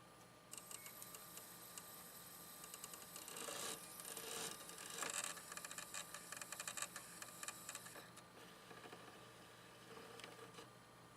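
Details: Sony DVP-NS45P DVD player with a rewritable disc (same with a normal DVD): faint irregular ticking about once a second under electrical hiss as it retries and never reads the disc. Owner suspects plastic part misalignment from weight placed on top.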